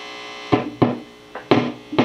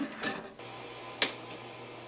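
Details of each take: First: 1968 Bassman (AB165 circuit) tube amp powered up: a low hum with sharp irregular pops and crackles about every half second; the 1 MΩ grid leak resistors are suspected and will be replaced, probably not a bad connection. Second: 1968 Silverface Fender Bassman AB165 (modded) after replacing the grid stopper and screen resistors with carbon film to fix a noise floor problem: only a faint steady hum and handling clicks, no hiss, crackle or popping. The noise seems fixed.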